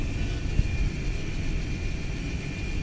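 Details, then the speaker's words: 2016 Mazda 6 electronic parking brake entering maintenance mode (accessory mode, accelerator down, EPB button held, start button pressed three times): thin steady motor whine from the rear as the calipers wind back normally for rear brake service. "brakes making noise in the back and you'll know you're in maintenance mode when you see this light on your dash"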